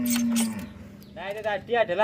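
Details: Worn rear motorcycle shock bounced by hand while stationary gives groaning, moo-like squeaks that rise and fall with each push.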